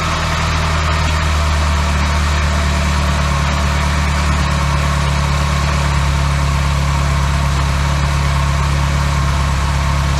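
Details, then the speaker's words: Classic Austin Mini engine idling on first start in 9 months, basic ignition timing, no coolant yet, back in neutral; steady even low hum, no knocks or misses, oil and charging lights out, no leaks. "oil lights out charging lights out no leaks and obviously it was moving so yeah i'm well pleased"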